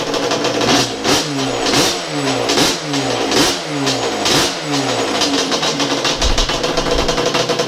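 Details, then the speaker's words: Freshly rebuilt, lightened Yamaha Banshee two-stroke drag ATV engine, base timing set at 5 degrees, idle already set, just fired on third kick and warming up: crisp revs rise and fall in quick, clean blips without bogging, a healthy throttle response. "We've already got the idle set up and everything. Oh, that sounds so beautiful. Yeah! There it is. She's really good at idle, guys."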